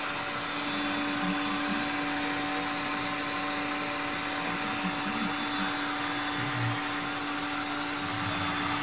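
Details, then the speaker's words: Sanyo POWERbot R9000 robot vacuum after over three years of use: steady mid-pitched motor hum with faint flutter, no dragging or jamming; running normally. "You can almost tell from the sound that it's running okay. A little flutter in there,"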